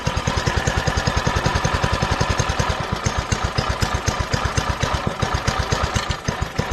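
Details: Doodle Bug DB30 minibike: strong, even, low-pitched single-cylinder thumping at idle, steady and regular, running way better than before.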